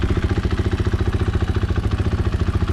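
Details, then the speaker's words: 2022 KTM 500 EXC-F single with newly installed AIM ECU and Graves slip-on muffler, left idling untouched so the ECU can learn: quick, even thumping, steady low idle without hunting; normal idle. "when you put in a brand new ECU, what you're supposed to do is start the bike up, don't touch the throttle. Let it sit."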